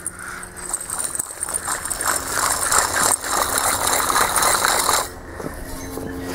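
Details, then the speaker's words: Chevy front hub removed, hand-spun: the bearing gives a rough, gritty grinding rattle that rises and fades with the spin; a worn wheel bearing, the loud noise heard while driving, fixed by replacing hubs. "This was the problem, guys. Listen to this. That's what we were hearing going down the road."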